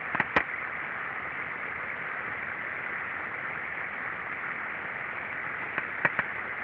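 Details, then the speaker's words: Pulp and paper mill mixer gear reducer, heard through ultrasound: steady hiss broken by pairs of sharp knocks, two shocks per rotation; gear or bearing unclear by sound, gear damage later confirmed by videoscopy. "pode parar por favor você pode ver que esses dois choques a cada rotação fica difícil determinar se sua engrenagem é o rolamento né"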